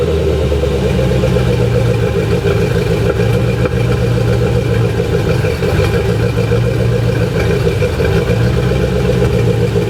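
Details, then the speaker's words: C4 Corvette V8 after a valve job, with the clogged cats deleted by a front Y-pipe and Cherry Bomb glass packs, so the exhaust is nearly straight through. Uneven idle with irregular exhaust pops on light revs. Owner suspects a tight rocker arm holding a valve open. "So, I'm pretty sure since it sounds like a burnt valve and I did a valve job on it, that one of the rocker arms is too tight. They're holding the valve open. So, it's popping."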